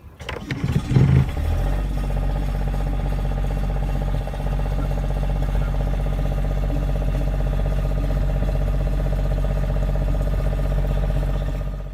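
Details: Northern Lights 6 kW diesel generator, which had issues out of the box and was misfiring before repair: after the repair it fires within a second and settles into a steady, even drone with no misses or knocks; a healthy running generator.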